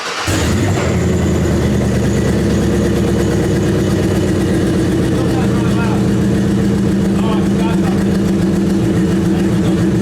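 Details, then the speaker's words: 1953 Buick Super at startup after new mufflers installed to quiet it: catches and settles into a loud, deep, steady idle rumble, still boomy and not much different; loud exhaust, quieting attempt unsuccessful. "Okay, Daddy, it's good. Doesn't sound much different."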